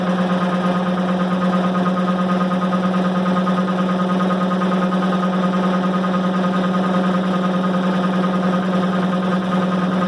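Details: 1990 Maytag LA211 washer on spin cycle: loud steady low groan with droning hum, constant throughout. Belts, brake and the bearing the brake spins on already replaced; cause still unknown.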